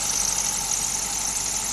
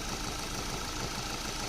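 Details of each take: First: Car engine started on a rainy or cold morning: steady, piercing high squeal at idle from moisture on the drive or A/C belt; spraying WD-40 on the belt silenced it immediately. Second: Maruti Suzuki petrol engine at idle after spraying WD-40 on the drive belt that squeaked on cold, rainy mornings: steady, even idle with no squeal or chirp.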